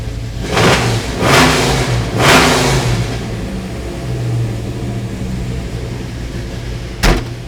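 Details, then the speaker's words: 1981 Jeep CJ Scrambler with a Wells Racing-built AMC 360 V8, estimated north of 300, maybe 350 hp: three sharp throttle blips rise and fall cleanly, then a deep, steady lope; healthy, strong normal running. "It is really making good power. I feel like it's making probably definitely north of 300, could be 350, but I want you to hear this run. It's great."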